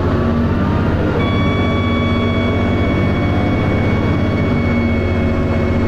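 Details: Steady diesel drone from inside a First Manchester Dennis Arrow bus with a slipping ZF gearbox, a faint whistle-like tone joining midway; strange noise present, cause unclear.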